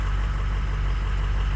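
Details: Ford 6.0 Powerstroke diesel running after the fuel leak was fixed. Low, steady diesel rumble with an even beat and no misses or knocks; ICP 900 psi, IPR 30%: a smooth normal idle.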